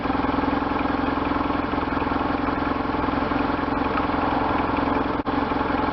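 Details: 1998 BMW R1100RT boxer twin, first run after restoration, throttle bodies not yet tuned; even, regular firing pulses from a lumpy idle with revving, no knocks or rattles, running healthy.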